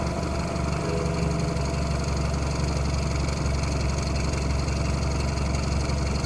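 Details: BMW F30 petrol engine idling with a fast, light ticking over a low, steady hum; the ticking is worse with the A/C on and disappears above 2,000 rpm.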